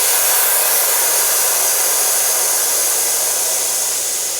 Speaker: It's a very small compressor, and you hear it, you need a lot of air because the whole chamber here in the middle has to fill up again and again.